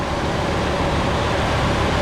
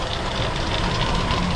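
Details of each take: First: 1977 Ford LTD station wagon V8 that sat 17 years in a junkyard, running on fuel poured into the carburetor bowl and throttle: a steady, even rumble with no knocks, misses or ticks. Motor sounds pretty good, though it may need belts. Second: 1977 Ford LTD station wagon, first run after 17 years in a junkyard: rough idle with a loose, marble-like rattle from the accessory drive; owner suspects the AC compressor, source unconfirmed.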